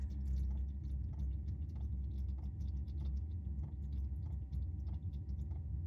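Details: 5 kW Chinese diesel heater newly installed in a 1995 Chevy Astro camper van, on first start after the fan and glow plug came on: sharp, regular ticks about every two-thirds of a second over a low hum. The fuel pump is pulsing normally.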